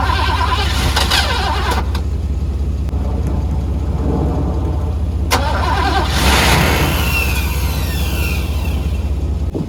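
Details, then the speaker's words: 1985 Mercedes W126 SEC long stored, jumped from another car with starting fluid: steady starter cranking about four beats a second, never catching; cranks no start, owner suspects fuel pump or fuel pump relay. "Well, I guess the fuel pump leaks out, or might be the fuel pump relay."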